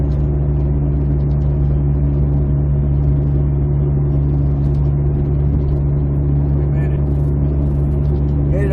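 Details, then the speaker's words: 2008 Jeep Compass, front passenger wheel bearing, recorded while driving: a steady low hum over road noise that almost disappears when turning and returns when straight. The bearing is shot; an earlier loose-nut tightening only helped temporarily. "I just want to give you an example you can hear the hear the humming of that bearing now I'm going to turn here smooth out now back on it again"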